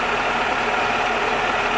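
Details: 2001 Toyota Camry after water bypass pipe leak repair and coolant refill: even, steady idle hum with faint regular pulsing, no knocks or leak hiss; no coolant leaks underneath, healthy.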